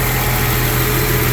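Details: 1999 Jeep Cherokee, freshly rebuilt engine during break-in, thermostat open: smooth, steady, very quiet idle with no knocks, ticks or misses; good oil pressure, crankcase vacuum now present, no blow-by, no leaks. Normal idle.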